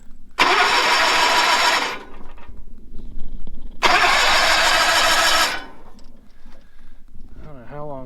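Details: 1970s Bolens QT16 tractor, sat unused a long time, fresh charged battery, gas of unknown age in tank: two even starter bursts about a second and a half each; engine spins freely but never catches. Cranks, no start; cause unconfirmed.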